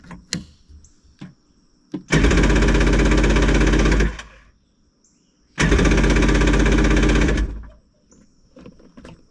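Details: 1994 Yamaha WaveRunner III jet ski, new starter fitted, stale fuel pumped out, carburetor suspected gummed with old gas: two cranking bursts of about two seconds each, steady churning at roughly four beats a second, never catches; hard starting, cause unconfirmed.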